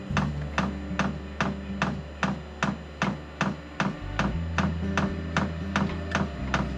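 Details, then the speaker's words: Diesel heater (HCALORY SS2) at startup, drawing about 20 W: crisp regular ticks about 2.5 per second over a low fan drone as the fuel pump primes; normal fuel pump priming. "okay okay you hear the fuel pump priming right now it's uh doing a prime"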